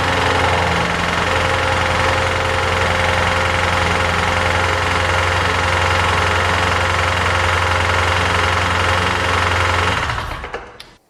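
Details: Flood-damaged 2018 Jaguar F-Type SVR, 5.0 supercharged: steady, heavy knocking at about four per second over a rough idle until the engine cuts out. Owner suspects internal damage, possibly a bent conrod, not confirmed.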